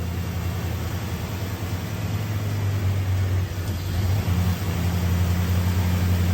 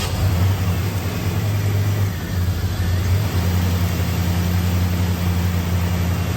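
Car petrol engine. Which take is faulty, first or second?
first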